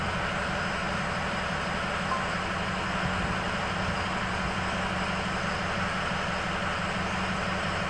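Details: Engine at high idle with cylinder 8 switched off for a cylinder balance test: a steady high idle with an uneven, lumpy beat because one cylinder is not contributing; misfire.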